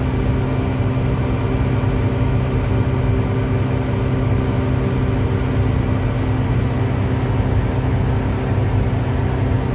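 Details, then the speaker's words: Komatsu PC1250-8R excavator hydraulic pump abnormal noise when boom is moved (three pumps running), none on travel or swing, neutral pressures normal: deep steady drone with rough low growl, no clear rhythm; cause not yet confirmed. "ठीक है, समस्या की पहचान की गई है, इसलिए जब हम 3 पंप चलाते हैं तो शोर पंप तब होता है जब हम "बूम" को स्थानांतरित करते हैं एक ध्वनि शोर होता है"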